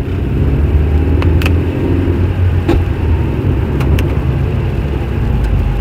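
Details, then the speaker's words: Toyota five-speed robotized manual (Aisin MMT) while driving: steady road rumble with sharp single bangs on shifting; knocks when engaging third gear. "Toyota robot пятиступка. Стучит третья передача."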